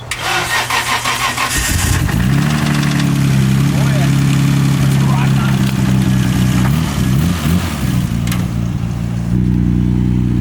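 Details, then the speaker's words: Nissan R32 Skyline GTR, not started in months and due for a rebuild after engine trouble: cranks and catches into a lumpy idle with a dull, uneven knock underneath on cold start; suspected rod knock, caught early. "All I know is I heard it and I was like, damn it. That's a noise where like some people question rod knock."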